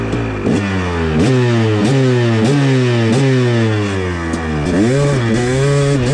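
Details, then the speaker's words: KTM 300 two-stroke: crisp pulls from low rpm through first to third gear with clean rises and quick drops between shifts; it sounds very healthy. "it sounds very healthy first kick probably it sounds so healthy"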